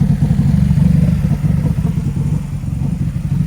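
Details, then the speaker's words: Subaru engine run with the fuel line drained ahead of a high-flow fuel pump install for a fuel delivery issue: low, lumpy note that stumbles and sags unevenly as the lines empty of fuel, an engine starving for fuel. "so we're gonna run it until it completely shuts down that means it's all out of the lines and then we can get to the fuel pump all right it sounds really bad but I promise you we're trying to get rid of the gas"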